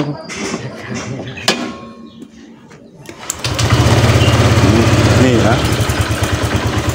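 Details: Honda Vario scooter after repair: the clogged catalytic converter was opened up and the exhaust reinstalled. It starts and settles into an even, steady single-cylinder idle with clean throttle pickup, no longer choking at the bottom end; it sounds healthy.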